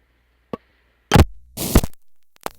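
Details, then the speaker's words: Panel telephone switch after calling handset hangs up: district sequence switch moves to position seventeen, Down Drive, selectors engage down drive clutches to return to normal; several heavy thunks and a hiss, normal release. "This is the district sequence switch moving into position seventeen, Down Drive. Here, all of the selectors engage their down drive clutches to being themselves back to normal."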